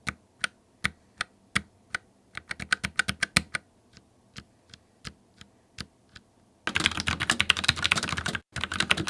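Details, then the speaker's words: Typing on a Logitech MX Mechanical keyboard with Tactile Brown switches: crisp, fairly soft keystrokes, slow single presses then a quick burst, no clicky snap. Tactile bump and bottom-out are felt, but it is much quieter than Clicky Blue. Normal. "The brown ones still offer that tactile bump as you make every keystroke, and you feel the bottom out of the key as well, but they have a much quieter clicking sound."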